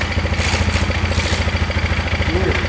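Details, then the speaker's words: 2001 Polaris Scrambler 500 2x4, just revived after no-spark fix: steady thumping single-cylinder idle with fast metallic chatter on each pulse from the exhaust tail end; loose exhaust part rattling. "Sounds good. Other than that stuff rattling."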